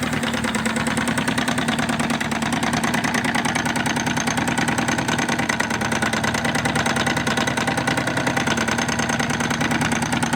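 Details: 2002 Tracker 25 horsepower outboard at even idle: light, fairly regular tapping about three per second over the motor; engine knocking noise, cause unknown.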